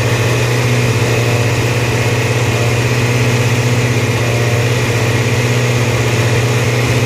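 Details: Hunting idle: engine speed rises and falls in a slow, uneven surge a couple of times a second instead of holding steady.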